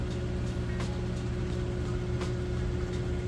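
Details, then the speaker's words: Samsung VRT front-load washer in spin, five minutes left, spinning super fast for about three minutes; even low hum, faint steady tone, light periodic swish, no thumping or grinding — normal smooth high-speed spin. "but as you can see sounds great nice smooth operation and we'll let that go ahead and finish up"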